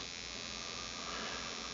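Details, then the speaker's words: RC gas engine ignition (Rcexl) on a tester powered by A123 battery through WrongWayRc dual diode voltage reducer, spark at about 1,000 rpm idle, ignition seeing 5.4 volts; fast even electric buzz, no dropouts; normal ignition spark. "Okay so there's a 100000 RPM idle you can hear the spark plug sparking we're seeing 5.4 volts"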